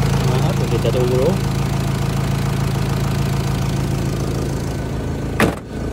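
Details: 2004 Renault Trafic 1.9 dCi van: steady, even diesel clatter at idle with no knocks or misses; engine sounds healthy.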